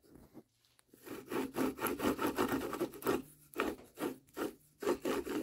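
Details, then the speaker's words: 2008 Jeep Compass with a recurring humming noise: the inner wheel bearing, turned by hand with the knuckle disconnected, gives dry, gritty rasping in short strokes; the outer bearing is fine and the inner one is worn out, causing the noise. "I don't know what it is about the inside bearing this one's all right but the inside bearing you can hear it hear it freaking gone"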